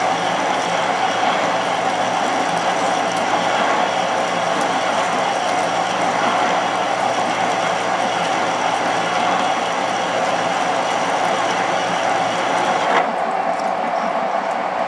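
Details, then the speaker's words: Drilling ten times drill diameter in tough material on an old horizontal borer, now with more feed pressure: steady even cutting hiss over constant motor hum, no chatter; pulling good chips, cutting cleanly. "And then I can get a bit of pressure on this drilling much better. Yeah, it's pulling good chips"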